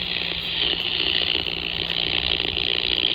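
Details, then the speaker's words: Ham radio receiver near a power pole below high-voltage lines: harsh raspy buzz, steady with rough pulsing texture, matching an audible buzz from the pole; owner suspects pole hardware as the interference source. "I don't know if you can hear that buzzing sound. You hear that buzzing sound? It actually corresponds to the radio interference that I get."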